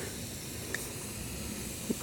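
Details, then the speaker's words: Tubeless motorcycle tire punctured by a screw, inflated to about 40 psi before plugging: faint, steady hiss of air escaping with no engine running. Air leaking through the tread puncture. "I'm going to take it to about 40 pounds, just for the purposes of plugging it. All right. And I can already hear it hissing."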